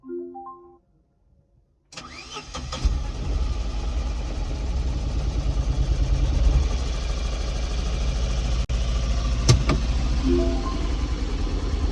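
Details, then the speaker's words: Tata Nano that would not start after teardown, running with a plug disconnected; owner later realises he pulled the coolant connector instead of the corner injector plug he intended. Cranks, catches, then idles unevenly near three lumpy pulses a second. "तो अभी ना यार मैंने एक गड़बड़ कर दी थी। मैंने पता है कौन सा प्लग निकाल दिया, ये वाला निकाल दिया था मैंने, लेकिन मेरे को निकालना था ये वाला, ये है कूलेंट का।"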